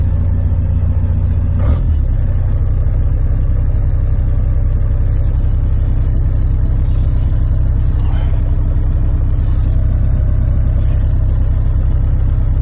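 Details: Diesel engine cold start at −3°C after sitting six days, two years after injection pump repair: steady, even low rumble at about four beats a second, no knocks or misses; normal cold idle.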